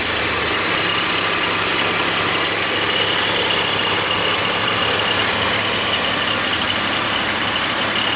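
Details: BMW 325i E46 at idle: bright, quick, uneven rattle from the belt area, caused by a worn idler (deflection) pulley bearing.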